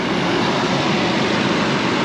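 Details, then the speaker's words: 2006 Ford Explorer after maintenance with all spark plugs and plug wires replaced: smooth, even idle hum, no misses, ticks or surging; normal idle. "And I just want to show you guys this engine and how good this thing sounds. It sounds like better than a sewing machine. She sounds good."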